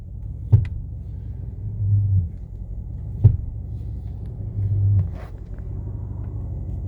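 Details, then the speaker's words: 2016 Mercedes-Benz C63S AMG at idle: sharp single pop from the left front each time the brake is released; louder the longer the brake is held, as at a stoplight. "just releasing break there's a pop in the left front every time"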